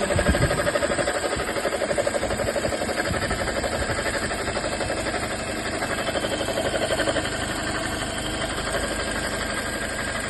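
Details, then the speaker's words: 2018 Toyota Corolla idling with a rough whirring rumble and faint whine at the alternator belt, recorded before repair; the worn alternator bearing was replaced, not the whole alternator, and the noise was compared before and after. "ele tá com um barulho aqui na Correia na Correia vou mostrar o vídeo que a gente fez antes o barulho e a gente trocou rolamento do alternador"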